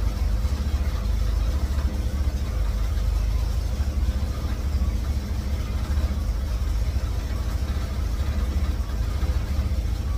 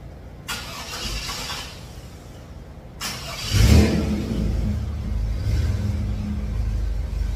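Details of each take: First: 1954 GMC COE with GM 4.3L Vortec, cold start on new spark plugs while setting timing: deep idle with a lumpy, uneven pulse; ignition timing set too far advanced. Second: 1954 GMC COE with GM 4.3L Vortec V6, after regapping spark plugs to .035: quick crank, fires at once and settles into a steady, even low idle with no misses; far better than the previous day's stalling.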